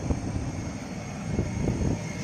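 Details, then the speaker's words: Maruti car AC blower at high fan speed, quiet on speed one: constant airy roar with irregular low flutters and thumps; noisy blower, cause unknown. "Usually यह आवाज किस reason से आ रही है कहां से आ रही है क्यों आ रही है"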